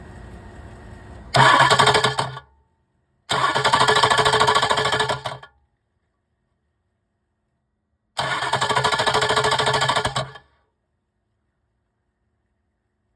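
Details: 2006 Ford 6.0 Powerstroke cranking right after HPOP replacement: three bursts of harsh grinding/rattle, each stopping abruptly; starter pin inspected through bottom transmission housing access port; starter engagement problem suspected.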